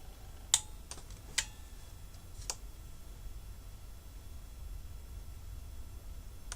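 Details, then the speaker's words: Car booster power bank with its clamps shorted together. A few sharp relay clicks in a quiet room as it switches on and instantly off. Short-circuit protection cutting out as designed. "Did you see that? It went on and then instantly went off. Weird."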